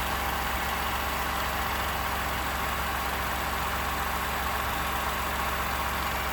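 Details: 29K-mile 2018 Ford F-150, 2nd-gen 3.5 EcoBoost V6, at idle: an uneven rattling tick under the idle that doesn't settle. The owner cranks longer to prevent cam phaser startup rattle. Engine knocking at idle, cause not pinned down.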